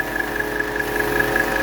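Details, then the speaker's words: 1985 Mercedes 300TD wagon after overhauling the original R12 A/C, idling while charging the third can: even fan rush with constant mid tone as the auxiliary cooling fan kicks on via the newly installed pressure switch; system working correctly. "that means the pressure has gotten up in the system and our switch that we installed the red switch has successfully kicked on the cooling fan so that means everything's working correctly"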